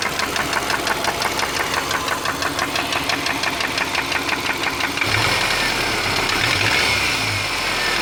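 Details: 2003 Subaru Forester, oil changed every 3-5k: light rapid knocking about three per second over an uneven idle, worsening over time, persisting when warm, nearly stopping at higher rpm; owner wonders about piston slap, rod knock or belt tensioner.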